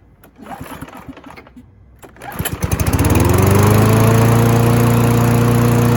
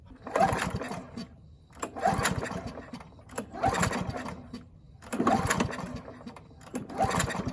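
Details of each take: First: Free Husqvarna mower after both ends of the governor arm spring were adjusted: after a couple of pulls it catches and settles into a steady, even hum at constant speed with no hunting. Normal running speed. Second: Free Husqvarna mower, throttle cable missing, carburetor main jet stuck and uncleanable, trying to run on tank fuel: six pull-start cranks about every 1.5 seconds sputter but never catch. Hard starting from the stuck jet.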